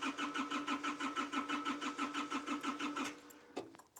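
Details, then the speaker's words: Hitachi EX55UR excavator, sat a year with broken boom, on jumper cables with fuel gauge reading barely anything: even starter cranking about three compressions a second, never fires; crank no start, not combusting fuel, low fuel suspected. "which means it's not combusting the fuel"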